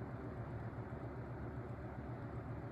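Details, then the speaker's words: Holmes HABF-20 box fan (Feb 1997), seller's note said "hums"; motor cleaned and oiled, sitting on rigid foam insulation that damps vibration. On low it runs quiet with a soft, steady hum and no squeal or grinding; the blade wobbles visibly but the cabinet barely vibrates. "Yeah, right now it's just quiet. See the blade wobble, but you can't really see the vibration too much in the cabinet."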